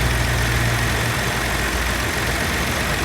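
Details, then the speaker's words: 2003 Nissan Pathfinder 3.5 with a vibration complaint, no misfire codes and no misfire data: rough, uneven idle with a stumbling exhaust beat; a paddle check found no waveform on cylinder 6, a coil not working, causing the misfire. "but this has a pretty bad misfire it feels like a coil misfire um again i don't have i have no access on data to see uh misfire history or anything like that"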